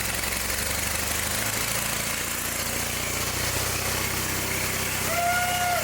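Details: John Deere 318 garden tractor, started with starting fluid: loud, rough, uneven running that got very hot quickly; suspected ignition problem, points gap set too small.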